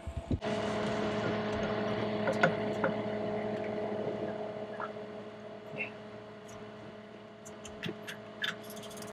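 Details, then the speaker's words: Yanmar 4JH3-TE diesel on a 43 ft ketch, hydrolocked by water from a wrongly plumbed driveshaft seal. With the injectors removed, it is cranked and turns over freely with an even rhythm and no binding; water may still be inside. "okay so that's a plus sounds good it's rotating um doesn't mean like water's out anything like that but okay so those were definitely dry a second ago"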